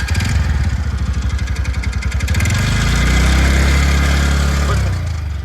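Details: TVS Ntorq 125 scooter with an engine noise complaint: the engine blips up from idle with choppy, uneven pulsing and rough mechanical chatter; abnormal engine noise, cause unclear.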